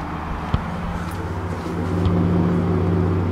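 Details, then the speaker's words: 2022 Ford Raptor that has idled nearly six hours on 1 gallon of fuel. A steady low idle hum, then a hiccup and a shift in tone as idle sags from 700 to 600 rpm; engine stumbling from fuel starvation. "I think something's happening now something's definitely happening now I think we're getting close to the end here"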